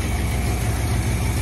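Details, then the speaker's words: Ford Fairlane V8 after distributor replacement with new plugs and wire harness, primed with fuel, slightly cold: deep steady even burble, no misses or knocks; normal idle, much better than before. "Úgyhogy szépen működik a motorja. Megnézzük, hogy veszi a fordulatot. Kicsit hideg. Sokkal jobb, mint amilyen volt régen. Nagyon szépen jár."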